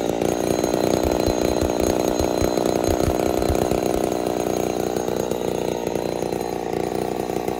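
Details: Ported Poulan 245A chainsaw with bow bar, first start, not yet at full temperature: revving hard with thin, slightly hunting buzz and uneven burble; a little lean, low jet/idle may starve and stall, needs tuning under load.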